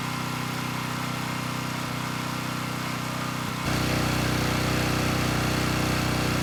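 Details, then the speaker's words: Coleman Powermate Pulse 1850 brushless generator, about 23 years old, after fuel-system and carburetor repair. A steady even drone firms up smoothly as load is applied partway through, with no misses or knocks; normal running, engine sounds good. "so it's doing pretty well and the engine sounds good so i think it'll run for quite a bit longer"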